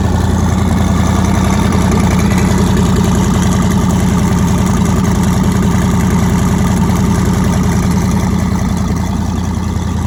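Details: Nissan 240SX with twin-turbo LSX V8, first start after new turbo setup, out of gear, running on Holley Terminator X wizard base tune, fuel pressure not yet set: firm even idle with steady low beat, no misses, firing on all eight; normal idle.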